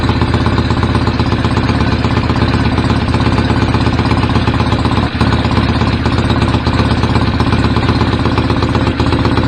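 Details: BSA A50 Royal Star twin, bought as a non-runner, first running after restoration with pattern straight-through exhaust pipes: loud, deep, steady idle firing evenly with no knocks or rattles; owner unsure whether the air lever is fully off. Normal idle.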